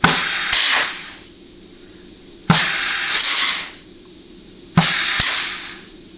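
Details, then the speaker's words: 4L80E rebuild, case air check of the intermediate clutch: three sharp air bursts fading to a whoosh of trapped air with no lingering hiss, showing good sealing in the clutch apply circuit. "Okay, hear all that trapped air whooshing out? That means you have really, really good sealing integrity in that clutch. or that apply circuit, and that's what you want."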